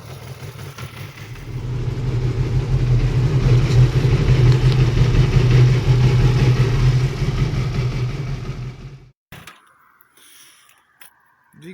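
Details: Yamaha R6 after clutch rebuild, first start and warm-up ride: light, fairly regular clatter under the exhaust note as revs rise and settle; residual clutch basket rattle, clutch springs preloaded from one side only, much quieter than before.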